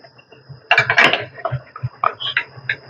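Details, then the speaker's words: BMW X1 front suspension: irregular dull knocks and creaky clicks; rear bushing recently replaced, noise nearly disappears when front bushing is wedged — worn front control arm bushing, both control arms noisy, ball joints to be checked. "mas o barulho está aqui ó na bucha da frente"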